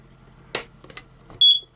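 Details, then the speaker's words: RV trailer smoke detector with a new Eveready battery: pressing test gives only one brief chirp instead of a sustained alarm. The test contact is eroded, though the detector did respond to burning paper. Weak test beep. "Oh. I think I'm gonna have to get a new smoke detector. Don't know what's wrong with this."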